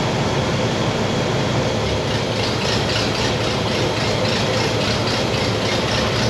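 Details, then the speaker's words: 1960 Pontiac Bonneville V8 with AFB carb, after dwell corrected: steady even idle sitting a touch high, no misses or stumble; now smooth and not overly rich, normal. "and i got it idling a little bit high but now it's nice and smooth and not overly rich"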